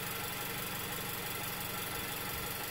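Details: Car idling, recorded with piezo mics above the radiator and the opposite side of the engine bay: steady even idle rumble, no irregular beats or misses, running normally.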